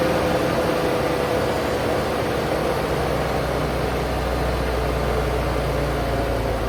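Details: Paystar truck diesel just restarted after radiator reassembly with new gaskets, idling while building air (about 70 psi): smooth steady rumble, no knocks, misses or hunting, not leaking; normal idle.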